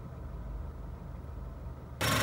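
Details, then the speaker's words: 2006–2011 8th-gen Honda Civic during the Honda idle learn procedure after throttle body cleaning: low, soft idle, then the RPM jiggles and rises slightly as the radiator cooling fan kicks on with a steady rushing whoosh, which signals the procedure is complete. "all right there did you see that that's the fan turning on there's a little jiggle in the RPM and then it goes up a little higher and then you hear the fan running"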